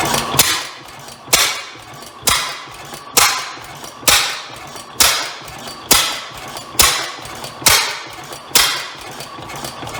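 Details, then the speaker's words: Rare old Bovard & Company engine restarting, believed two engines combined into one: sharp heavy bangs about once a second, slightly uneven; owner suspects a backfire or exhaust issue, not confirmed. "may have a little bit of an exhaust issue there did that backfire"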